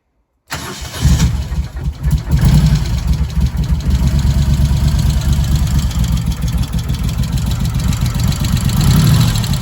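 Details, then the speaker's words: Moto Guzzi 1100 California Stone push-rod twin just after tappet clearance adjustment (set slightly loose): fires and idles evenly with light fast tappet tick over low thump; acceptable valve noise. "To my mind, that's fine. It's no different to the CX500 actually, and that's water cooled. It is a push-rod engine."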